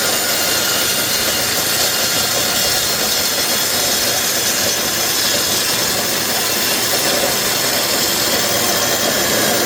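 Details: DeWalt DW871 14-inch cutoff saw, about 20 years old, previously bogging down and smoking, trial-run while being set up for miter cuts: steady, even high motor hum with no rumble, rattle or wavering. Bearings sound good.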